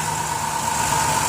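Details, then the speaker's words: 2007 Dodge Grand Caravan wheelchair van, 3.8 V6, 67k miles, hood open: steady, smooth idle hum with no knocks, ticks or belt squeal; no check engine light; normal idle. "it's got a 3.8 v6 idle smooth it just feels good"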